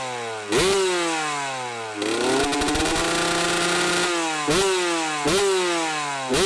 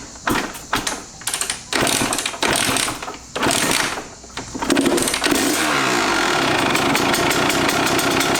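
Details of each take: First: Kawasaki KX125 two-stroke dirt bike, first start after sitting too long (initially rough idle, run outside): crisp revs blip up and fall back to even buzzing idle, clean and responsive, no misfires; fired up surprisingly, sounded pretty good, normal running. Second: Kawasaki KX125 two-stroke, first start after sitting far too long, following dripping: several kicks, then a buzzy, uneven rough idle. Owner considers it understandable; cause unconfirmed.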